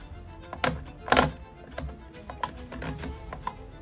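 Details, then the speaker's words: Moza R9 sim racing wheel base at 100% force feedback: irregular violent clunks and rattles in bursts from inside the base; owner suspected the shaft, manufacturer suggests a faulty quick release on the drive. "I heard this violent rattling noise and I thought what is that noise all bro it's coming it's definitely coming from there"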